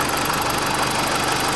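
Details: 2004 BMW 318i after thermostat replacement, warm idle just after the cooling fan cuts out: steady, even idle with a regular smooth pulse and no misses; running normally, coolant level to be checked once cooled.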